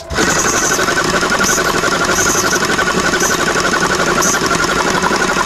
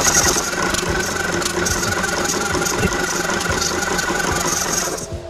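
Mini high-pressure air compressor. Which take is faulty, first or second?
second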